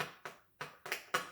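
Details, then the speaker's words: Car speaker from a Honda Civic tested by tapping a wire from the negative lead against the other terminal: six sharp clean clicks, one per tap, as the cone bumps; voice coil is fine. "the speaker is actually bumping so this shows that this speaker the voice coil is fine on it"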